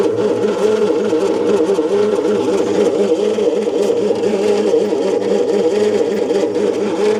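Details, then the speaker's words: 1972 Bedford J series truck (possibly J3), long-sitting engine: slow, even starter churn with regular compression pulses and no firing; the no-start traced to distributor timing being out. "To me, it doesn't sound like it's winding fast enough to do anything at all. But we'll see."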